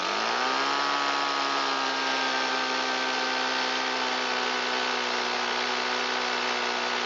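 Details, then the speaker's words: Shindaiwa EB254 Hybrid 4-stroke handheld blower after long storage, mixed fuel, old fuel filter: revs climb then hold as steady high buzz short of full speed; suspected stiff carburetor diaphragm and pump parts. "I'm sure the carburetor has some pretty stiff diaphragm and pump parts inside it, which is why it won't come up to full throttle."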